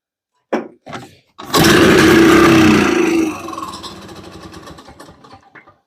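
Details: Boa Ski 1969/1970 barn-find snowmobile, sat 30+ years, gravity-fed from a lawn tractor tank into the carb. A couple of short pull-over bursts, then it fires into a loud, rough two-stroke run that settles down; it starts.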